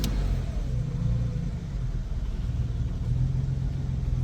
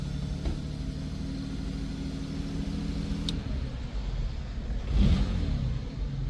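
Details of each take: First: 1952 Jaguar XK120 after slow-running mixture screws were backed out a turn or two; low, fairly even idle rumble with slight waver, settling into a steady tickover. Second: 1952 Jaguar XK120 three-carburetor engine on choke while slow-running mixture screws are turned; low wavering, sagging idle barely holding on; rough idle from unevenly mixing carburetors, some lean, some rich.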